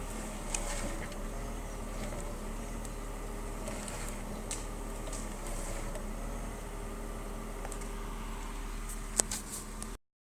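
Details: BMW E36 320i idling with a steady, fairly low whine from a new MAPCO power steering pump, increasing during steering; fluid changed several times but it still whines.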